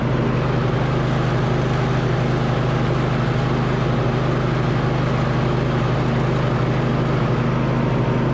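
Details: 2007 MTD/White Outdoors 54in zero-turn mower, deck rebuilt with new spindle bearings, spindle covers off, test run on a slope: steady even low hum, no grinding or bearing growl; normal mower deck running.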